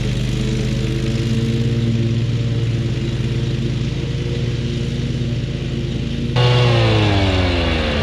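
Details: Kubota zero-turn mower, about seven years old, after a new switch was fitted: steady engine drone under mowing load climbing smoothly in speed near the end, no misses or knocks; running cleanly.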